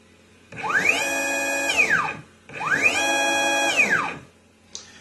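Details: Stepper motor on EM705 digital driver with PMDX126 breakout and SmoothStepper, fresh untuned install, at 100%, about 30 m/min: tone climbs, holds about a second, sweeps down, twice, smooth and clean; normal stepper motor running at full speed.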